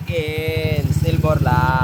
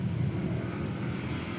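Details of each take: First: Scooter engine freshly upgraded from 59 stock to 63 (200cc) with oil cooler, during break-in: small single-cylinder engine pulsing evenly under light throttle blips, steady crisp beat, no knocks; healthy, earlier noise cause never identified. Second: Motorcycle with one-year-old 59 mm stock block setup: loud, rough, uneven low rumble; owner suspected broken liner, block skirt, crankshaft or connecting rod, but teardown found nothing broken; cause unknown.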